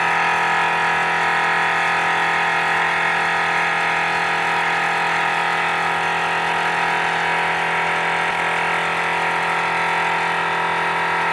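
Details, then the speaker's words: Forward FW 361+ hot plate separation machine: loud steady buzzing drone with piercing high whine, roughly 100 decibels, before disassembly and repair; loud pump noise. "so imagine trying to work with this machine when it's making the sound of roughly 100 decibels subway train or food blender that is very loud my friends"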